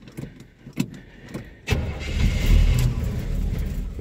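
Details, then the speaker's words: 1975 K20 pickup, unstarted since November, in sub-zero January cold with fuel drained back from the carb; a few cranking ticks, then rough, lumpy low-rev running, starved of fuel with no fast idle set; stumbling cold start. "got to get that gas up there that and I don't have a highspeed idle set it"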